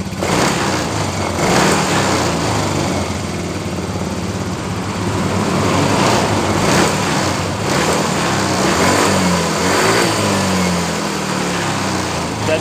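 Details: Yamaha Mio M3 injection scooter that was hard to start and stumbled on pull-away, after injector cleaning and a fuel pressure check reading a normal 40: engine revs cleanly and holds an even buzz; normal revving.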